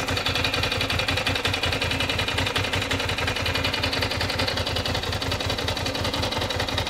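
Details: 1996 Ducati 600 Monster twin idling with an uneven ticking clatter over the exhaust pulse, steady at idle; some mechanical engine noise is present, source unclear.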